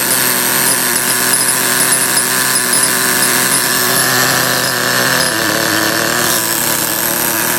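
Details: Small nitro RC car two-stroke engine, primed with nitro fuel, glow starter left on during warm-up: high buzzy scream at steady, even pitch with no stumbles or cut-outs; running cleanly.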